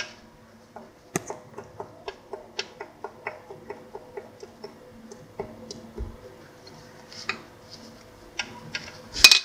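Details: SF Moto X8: sharp metallic knocks two to three a second over a quiet engine; connecting rod knock from a spun rod bearing.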